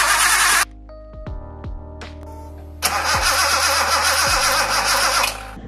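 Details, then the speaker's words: Datsun 280Z with a mismatched Mercedes fuel pump, new spark plugs and contaminated fuel drained; starter spins the engine with no firing; crank no start, injectors to be checked next. "As you saw, car did not start. We decide that next point will be to check injectors then."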